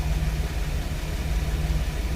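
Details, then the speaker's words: 2006 Chevy Express after diagnosing a P0300 random misfire code (ignition misfire): deep, even idle with steady beat and no skips or stumbles; normal idle, no longer misfiring. "now the car is no longer misfiring there you go"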